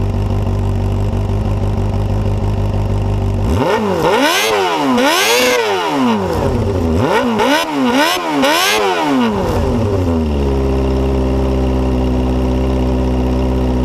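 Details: Suzuki Bandit GSF250P (GJ74A) 250cc, day after full engine rebuild, GoPro recording: steady idle, several clean blips rising and falling smoothly, calm idle returns; briefly smoked at first, now running healthily.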